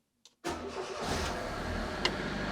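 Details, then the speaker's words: Fiat Panda 4x4 1.1 FIRE engine, first start after cambelt change: it catches at once, then a constant dry scraping rasp rides over the idle as a bolt washer rubs the crankshaft pulley. "it's not really supposed to sound like that is it"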